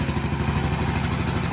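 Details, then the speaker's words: Restored 1984 Honda ATC110 three-wheeler, first run in a long time after top-end and carb rebuild, believed burning off paint; quick, even single-cylinder putter, no valve tick or knocking: clean, healthy idle. "It's getting all this oil and everything through the motor. First time in a long time. What's that? No valve check. No knocking."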